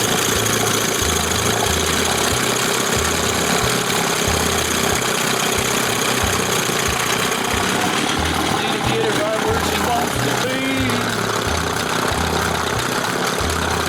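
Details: 1971 Johnson 20 hp two-stroke outboard after carb swap, reassembled with roller checked in start position: even low popping beat holding steady with no stumbling or surging; running smoothly and healthy.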